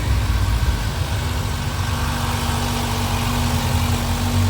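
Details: Mitsubishi ASX that had stalled with a battery reading only 10.36 V, jump-swapped to another battery: engine catches and settles into a steady, even low idle with no knocks; alternator then charging at 14.62 V, old battery blamed.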